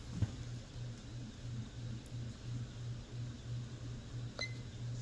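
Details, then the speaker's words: Hunter/Robbins & Myers Type 22046 Original vintage ceiling fan on medium, camera far away: quiet steady hum with soft even pulse, no ticking or rubbing, good air movement; normal running. "We're not going to be able to hear it on that camera that far away, but it does have cool startup. Mine, a lot of these do. Good air movement."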